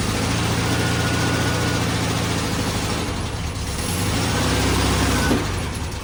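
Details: 1969 VW Beetle idling after first start in 33 years, points cleaned and carburetor rebuilt: low loose chuffing idle with slightly uneven beat.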